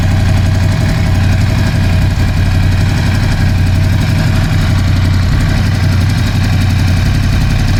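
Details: Ducati Scrambler 1100 V-twin after replacing the horizontal cylinder and piston: loud lumpy idle with a dull knock on every beat; suspected piston slap, exact source uncertain.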